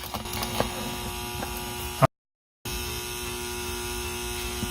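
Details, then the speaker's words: Used Rain Bird Professional sprinkler controller, ground wire connected, plugged into mains. A quiet, constant mains buzz with a high ringing note; transformer humming persists even with ground connected. Cause unresolved. "well that's too bad looks like it's still making the humming sound even with the ground connected"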